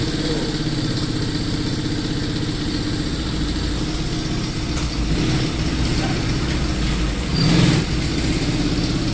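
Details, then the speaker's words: Motorcycle idling after damaged clutch-side parts were replaced with brand-new ones, pull now good: steady low idle with uneven rough chatter over the firing; a separate abnormal engine noise, left unaddressed and needing further checking. "So yung ingay, ibang problema naman yun, hindi namin pinakailaman yun mga boss."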